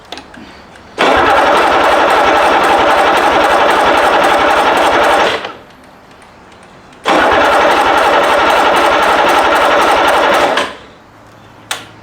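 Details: Rebuilt BMW D190 marine diesel, previously seized and sunk, first-start attempt while the lift pump is primed: two long bursts of steady starter cranking, each about four seconds, with even compression beats and no firing; no fuel reaching it yet.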